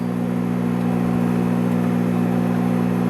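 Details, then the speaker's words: 1958 Emerson Model 895 AM/FM tube radio, powered on before repair with a temporary power cord: steady low constant hum under the audio; mains hum suspected from filter capacitors or possibly a shorted tube. "as you can hear we have our trademark filter capacitor home or either that or a shorted TV we'll figure it out as we go along"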